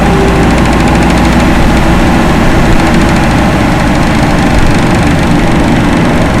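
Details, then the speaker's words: Loren Cook 100 ACEM rooftop commercial exhaust fan after motor replacement, speed turned down to half so the motor lasts longer: even steady motor hum with constant airflow rush, no knocking or squeal; normal running at reduced speed. "I'm going to turn it down some. Let's do half. I think the motor will last longer that way."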